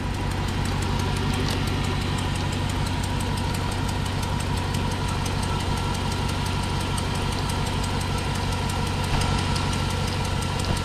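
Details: 1999-2006 GMT800 Silverado/Sierra V8 with a broken front bolt: rapid light ticking over a steady idle that follows engine speed; exhaust leak, ticking at idle.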